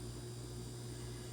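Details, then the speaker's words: 2012 LG French door refrigerator-freezer with a warm fresh-food section and a bad ice maker after a freeze-over; even, low compressor hum with faint fan whir behind the fridge, compressor buzzing and running normally. "If your compressor in the back is humming and that fan behind the fridge your compressor's in here, if you can hear that, you can hear mine buzzing."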